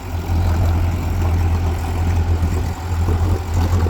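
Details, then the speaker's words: Mercury outboard on a boat that overheats only when brought up on plane, not at idle: deep, steady idle burble with no misses, knocks or whine; telltale pumps water right away; thermostat suspected. "Start it up here. Make sure she's peeing, pumping, all that good stuff. Yep, right away. Sounds good."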